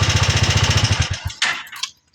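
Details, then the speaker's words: TMX 125 Alpha with hard starting and dead push-button electric start, after part replacement: starts on one push of the button, small single thumping at an even quick beat before switch-off; runs cleanly, fixed. "Ayan oh. Umandar na. One click lang."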